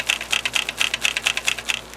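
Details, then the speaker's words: Used TEAC FD-505 3.5/5.25 combo floppy drive tipped while still in bubble wrap: sharp uneven bursts of light plastic clicks from something loose inside, feared to be a loose or broken drive head, likely a broken snap piece. "I don't know if you can hear that, but there's something potentially loose in there. Hopefully not broken. It could just as be possibly a loose drive head."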